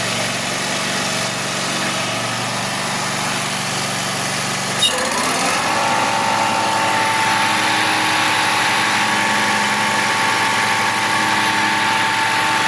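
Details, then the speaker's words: 2021 Wright Stander ZK mower, 800 hours, after hydro pulley replacement: steady whirring hum rises above engine once blades engage; spindles tight, blades balanced, improved but still noisier than expected, source unconfirmed. "There's still some sound. Still a whirring of some sort. All my blade spindles are tight, so I mean, I think it's better. It's just still a little noisier than I was expecting it to stay."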